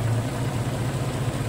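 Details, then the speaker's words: 1990 Jeep Cherokee XJ, 34 years old, warming up at idle after fuel pump diagnosis and refit, vacuum hoses redone, velocity stack on intake: even, low, steady hum with no vibration, misses or knocks; smooth, healthy idle. "Voilà. Ça vibre pas. Rien du tout."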